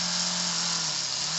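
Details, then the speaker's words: Cheddar Pintail live steam unit, about 2 cc, apparently fully original, first test at low pressure under 1 bar: steady steam hiss with an even low hum, no knocks or rattles, constant speed; runs superbly even unadjusted. "voilà c'est qu'en fait il la course il marche formidablement"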